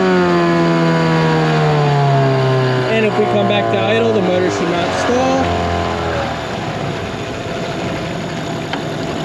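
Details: 2003 Mercury 15 hp two-stroke outboard, lake test: strong steady buzz at wide-open throttle, then pitch drops smoothly back to idle without stalling; normal full-throttle run.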